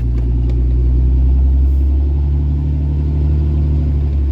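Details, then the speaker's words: Diesel truck after injector replacement: deep, steady, even rumble with no ticking or puffing at the front. Quieter up front, louder at the rear: normal running. "well I don't have any lights and she's a lot quieter up front and a lot louder in the back so definitely a lot louder in the"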